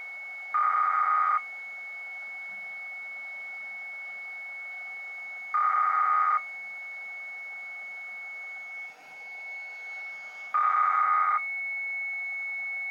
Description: Receiving this strange continuous noise on 458.550 NFM.